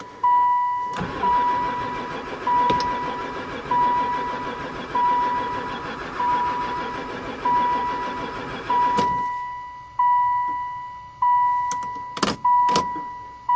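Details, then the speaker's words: 2002 van that sat for four years, cranked after a battery hookup and added fuel: steady rhythmic cranking for about nine seconds with a chime, never firing once; crank but no start, no spark suspected, not confirmed. "seem like it never fired [Music] once"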